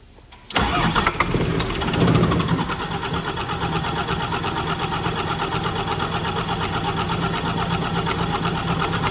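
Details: Scania R400 DC12 truck diesel, first start after rebuild for an engine knock (head removed, piston damage found), refilled with oil and antifreeze: cranks briefly, catches cleanly and settles into an even idle with no knock.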